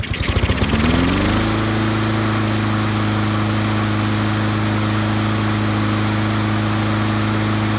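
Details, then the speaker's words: Honda-powered auto-choke lawnmower after the Honda service-bulletin fix for chugging and stalling after startup, new governor spring fitted and rpm set near 3000: catches after a second, rises, then settles into a steady drone with no hunting; running properly. "Set your RPMs to as close to 3000 as you can, and it's going to solve that problem in most cases on your Honda powered lawnmower that has the auto choke system on it."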